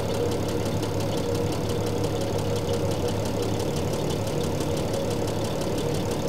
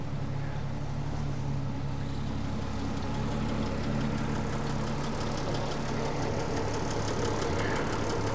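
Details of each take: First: 1975 Triumph TR6 PI straight six, Lucas mechanical injection, warm idle while mixture adjuster unwound: steady idle with fast tappet ticking and slightly uneven, hunting beat; running a little weak (lean mixture), then reset. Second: 1975 Triumph TR6 PI straight six with Lucas mechanical fuel injection, warm, before mixture adjustment: smooth, even purr and steady exhaust beat at idle, no knocks or misfires; normal idle.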